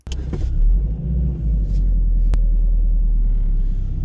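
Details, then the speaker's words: MK4 Golf after new rear springs, bump stops and brake lines and fuel tank reinstall, reversing out of driveway: low smooth engine rumble, no squeaks or groans from rear; rear suspension now quiet, squeak fixed. "listen carefully silence wonderful so i will call that a success"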